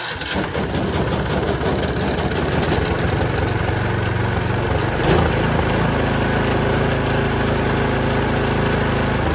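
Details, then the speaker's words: Toro Power Max 826 OE snow thrower, 8 hp 4-cycle, slightly warm, full throttle then backed off slightly: short electric crank, then it catches and settles into steady, even fast run, no stumbles or knocks; normal start. "Okay, so that's basically how you start the machine."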